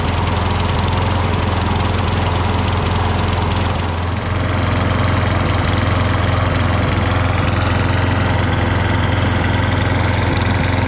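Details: Craftsman push mower left running to burn off excess oil; smoke has lessened but it still smokes. Crankcase seemingly holds a whole quart versus about 20 ounces. Single-cylinder engine chugs unevenly at about three beats a second with a heavy thump; overfilled crankcase oil.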